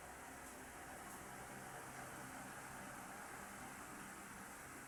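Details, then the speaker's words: Standard orbit fan test-run after the LEC was fitted, plugged in and switched on: a steady, even whoosh with a soft, regular motor hum and no rattles or scraping; it runs strongly and sounds healthy. "Okay na. Aha. At nang malakas pa to. So, goods na."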